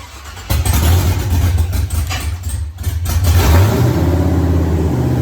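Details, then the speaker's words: 1983 Ford Mustang with rebuilt 5.3 LS V8 from a 2002 Avalanche, upgraded cam, 4L60E; catches cleanly, revs smoothly, settles to even idle, thermostat not yet open; normal start and rev. "So Riley's ecstatic. Everything sounds good. Everything ran good."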